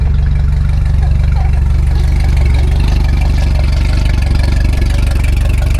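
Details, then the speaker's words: Race boat engine after repairing a low system voltage ignition wiring fault: strong even firing with deep steady beat and clean throttle blips, no misses or stumbles; repair successful. "Sounds good. Another successful repair."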